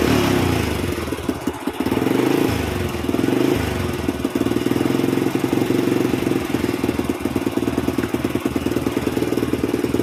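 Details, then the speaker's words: Honda Astrea Prima motorcycle, hard to start, plug always black and dies in days; before repair, idle stalls when turned down and stutters, uneven wandering beat near stalling, rough unstable idle from rich mixture, carburetor suspected. "Oke Kang Bro, untuk kondisi pada saat hidup langsamnya itu kalau dikecilin mati, kemudian ada berbetnya juga ya."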